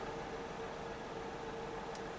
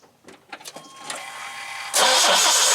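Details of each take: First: OBS C1500 pickup, cold, idling right after ignition coil replacement cured crank-no-start: smooth, steady idle with even low hum, no stumbles; oil pressure good, check engine light for an intermittent misfire. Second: OBS C1500 pickup with distributor ignition, died at 70 mph, now cranks but won't start: starter spins steadily about three seconds with no firing; spark tester shows no spark.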